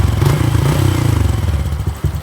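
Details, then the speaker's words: Honda Wave 110i after the spark plug cap was refitted and tightened onto the lead, sprayed with water: steady unbroken single-cylinder beat, no stumbling or cutting out; runs normally when wet. "นะครับเตรียมตัวใหม่เนี่ยโดนน้ำไม่ทุกสถานเลยนะคุณจะแตกต่างจากรัก"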